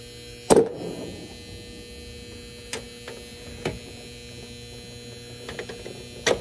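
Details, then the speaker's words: Goodman package unit with no heat or air: constant control-transformer hum and buzz with handling knocks; the control fuse is blown and the common wire was left unhooked. "okay so what we hear is the transformer buzzing let's take a look"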